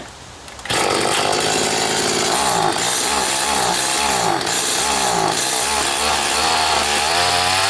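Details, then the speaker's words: Stihl FS80 trimmer after carburetor rebuild and ultrasonic cleaning, idle mixture screw turned back out four turns: raspy, fairly steady two-stroke buzz with no clear stumble; bogging check, remaining bog not obvious. "Okay, I'm going to turn that back out like 4 turns. Let's see if we still have a bog issue here."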